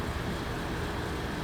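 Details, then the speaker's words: 2005 Acura MDX after fixing power steering pump whine caused by low fluid (another bottle of fluid added); wheel turned back and forth at idle with no pump whine or groan, steering now quiet. "I poured another bottle of fluid in there, and I'm gonna let y'all listen, see if y'all can hear anything. Turn the wheel back and forth, and no noise,"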